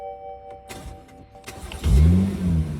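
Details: 2006 BMW 325xi (E90) with no crank, no start and no ECU/EGS communication, fuses checked, booster connected, ECU power confirmed: a few clicks and a short crank, then the engine catches and settles into a steady idle; starts normally after fix.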